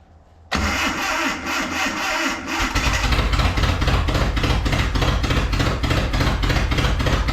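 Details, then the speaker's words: Abandoned Datsun/Nissan 720 King Cab 4x4 pickup, sat about 20 years, after jumped timing was fixed and a new "Franken" carburetor was fitted: cranks, catches, then keeps an uneven loping beat of about three pulses a second; rough-running gallop persists. "we're not getting it to run any better I still got that gallop you can hear it"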